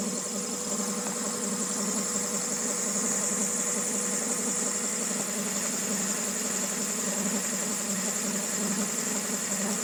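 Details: 2000 Honda Civic EX with a rebuilt D16Y8 engine, mechanical timing correct, idling unevenly with a hissy, chattering rattle; the owner suspects the cam pulley, timing tensioner or a bearing.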